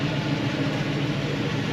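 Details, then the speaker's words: 1974 Buick Apollo V8, after starting: steady even low rumble with no misses, knocks or ticks; normal smooth idle. "Besides that, man, it sure runs good. It is nice and smooth right now."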